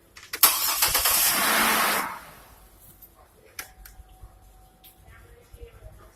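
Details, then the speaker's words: Car starter draw test, rated 140–150 A, relay pulled so the engine won't start; brisk, even 1.5-second crank stopping cleanly, drawing about the expected amperage. Normal starter cranking. "So now we're doing the starter draw test, and we're basically going to see how much amperage the starter is going to use. This car is supposed to be anywhere from 140 to 150. We're going to crank it over now."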